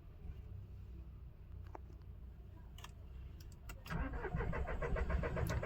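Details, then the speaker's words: Mahindra Bolero Neo diesel with code P019385, rail pressure sensor circuit high: about four seconds of slow cranking, first attempt fails, catches on second; long cranking from faulty rail pressure sensor, also knocking, misfire, vibration. "फिर से लगी long shelf लेने। देखिए first self में start नहीं हुआ। Second self में start हो गया।"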